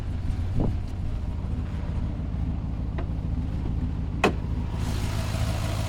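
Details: Cadillac V8 idling after heavy rain, with codes for cylinders 1 and 7 plus random misfire: an uneven, stumbling idle with no steady rhythm. The owner plans to change the coils and has new MAP sensors. Misfire at idle.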